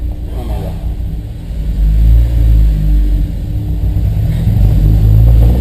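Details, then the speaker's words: Honda S2000 with new spark plugs, gently revved inside the garage: uneven stumbling misfire with irregular pops, which seem more frequent as the engine warms up. "medida que el coche se calienta, los petardazos parece que son más habituales."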